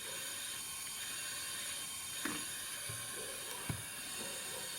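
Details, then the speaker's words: VAZ Lada Kalina at idle: steady high hiss from a small head gasket blow-through between the second and third cylinders after overheating; the leak is just beginning. "Звук меняется. Здесь еще похожая прокладка между вторым и третьим. Перегрела. Прорыв небольшой."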